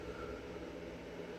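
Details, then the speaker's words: Bluetti AC200MAX solar generator just plugged in and charging, 480 W input at 40% charge; its internal cooling fan gives a soft, steady low hum with an even airy hiss and no rattle or ticking, which is normal. "You can hear it humming away. Got a nice little fan in there so it doesn't overheat. And it's charging."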